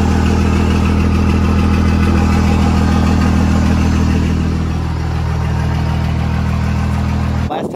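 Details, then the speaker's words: Cummins diesel truck with newly installed compound turbos, warm, restarted after adding five gallons of fuel without bleeding lines: deep, steady, even rumble with no misses, then shut off; runs fine. "it just started so we're good yeah yeah we already had heat in it so it sounds good"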